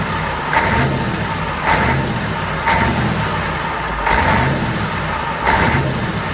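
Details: Fordson Major with Perkins V8 diesel, first start after a long time and after bleeding the injectors, run with no coolant: even idle with a few short throttle blips, firing steady and clean, no knocking; normal idle.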